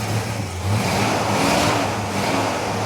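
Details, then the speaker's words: 1986 Ford Mustang GT 5.0 V8 convertible with a rotting body, first start attempt: the engine catches and is held on light throttle, the note swelling and easing unevenly; it runs, but idle is unproven. "Keep it running, keep it running. Keep it running, just keep it running, don't rev it up too much."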